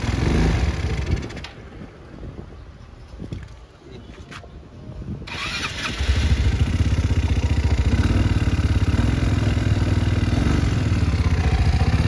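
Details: 2019 Yamaha Mio Sporty scooter after repairing no-compression fault (valve not holding pressure; possibly stripped spark plug thread): quiet handling, then catches at once and settles to a steady even idle; starts and runs normally.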